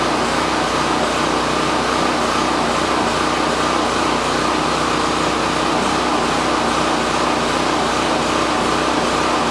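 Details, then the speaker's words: Champion 4000 generator first run on a new replacement carburetor after the old one left it inoperable, choke on and running a little choppy, then fuel valve shut off to let it die from fuel starvation; steady even drone, normal running. "so at this point we're just going to let it die from fuel starvation but that's it a running generator $18 carburator from Amazon"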